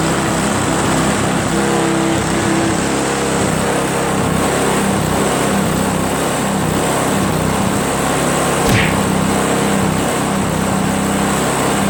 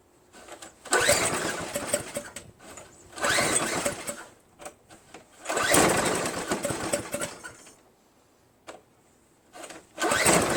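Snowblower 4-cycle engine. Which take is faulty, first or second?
second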